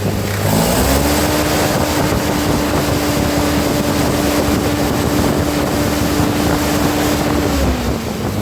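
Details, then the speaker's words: 1948 Ford 8N tractor during rebuild, just started after sitting, oil pressure slow to come up: engine rises to steady even speed, holds smoothly, then eases back; healthy running under wind noise. "I told you this thing runs good. Just wait for some oil pressure. That'd be nice. Sometimes when they've been sitting, they're pretty slow to pick it up."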